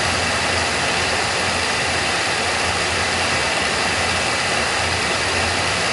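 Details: Oil burner firing after the technician tuned it and pulled the air band back a little; even, steady roar and strong hiss with no surging, popping or pulsing. Reading noted as 500, and it "sounds pretty good." This is normal, clean burner operation.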